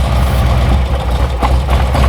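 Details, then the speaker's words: 2008 Harley-Davidson Street Glide, 96-inch, six-speed, warmed up idle: lumpy V-twin idle dips and stumbles on brake-cleaner bursts at front intake manifold; leaking front intake manifold seal. "Okay. So, we know with that we know with that we've got a leak intake manifold seal."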